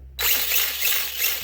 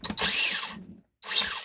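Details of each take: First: Traxxas LaTrax prerunner RC truck after fitting a Surpass Hobby brushless motor and ESC on 2S LiPo: high, steady whir from motor and gears with no clicking or chatter, sounding a lot better; smooth gear mesh. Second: Traxxas LaTrax Prerunner after a brushless motor and ESC upgrade on 2S LiPo: short bursts of high grinding whir as the motor is blipped, a harsh gear scream suggesting a tight pinion-spur mesh; it sounded better once loosened.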